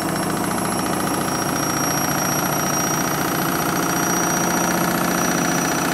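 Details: Candy Mini Load washing machine on the Rapid 30 program, final spin at about 1000 to 1200 rpm (owner thinks 1200). It gives a loud, steady roar with a constant high whine and rough rumbling; noisy spin, cause not obvious.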